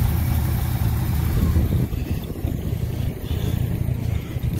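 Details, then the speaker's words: 1969 Ford C700 truck, 330ci V8, cold start after nearly nine months sitting, after fixing poor cables: catches with a deep heavy rumble, surges on throttle then eases back, air compressor building pressure: normal cold start. "oh there you have it she's running that wobble air compressor building up the air once the air pressure gets full it'll stop making that noise"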